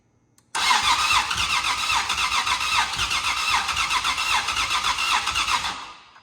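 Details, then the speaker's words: Nissan VQ37VHR just fitted with a Soho Motorsports top-mount single turbo kit, untuned start attempt, cold at 29 degrees: starter churns steadily about four strokes a second for five seconds without firing; owner suspects it needs the tune. "I think we need that tune maybe."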